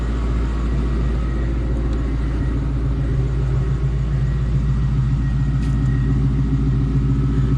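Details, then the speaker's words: Kenne Bell supercharged Mustang Cobra V8 idling deep and steady, no misses, knocks or surges, after switching from 39 to 47-pound injectors and upgrading the fuel pump; 60–62 PSI base fuel pressure, retuned. "As you can hear, this one's idling perfectly after I went from the 39 to the 47-pound injectors."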